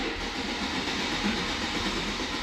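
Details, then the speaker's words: BMW 114i with swapped M140i engine, second start attempt: long steady fast cranking that never fires, waiting for fuel to reach the system until the battery goes flat; no start, fuel starvation. "it's coming coming it's got to get fuel all the way through the system come on come on ah now the battery's flat"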